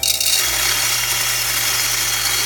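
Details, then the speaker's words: Jericho-type knockoff coffee grinder, direct-drive burr with no gearing, seemingly underpowered: high whirring motor climbs unevenly to a shrill very fast spin; uneven motor spin-up, burr load on motor suspected. "very uneven as it comes up to speed you'll hear that sound"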